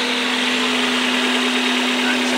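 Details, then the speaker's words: Suzuki APV Mega Carry idling: a steady low-pitched hum drones from the throttle body and air filter hose. The cause is a dirty ISC (idle speed control) sensor, apparently from rarely done tune-ups; the fix is cleaning it. "guys jadi ada suara dengung guys ya Ada suara dengung Oke kita matikan dulu guys ya Nah itu biasanya terjadi karena sensor ISC yang kotor"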